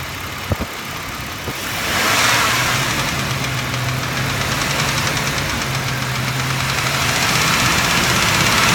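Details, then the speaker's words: 2006 Mitsubishi Raider, lifter tapping from the right-hand side: quick light ticking about four per second over a hissy idle, following engine speed; sticking hydraulic lifter. "but anyway having a lifter noise coming from the right-hand side here"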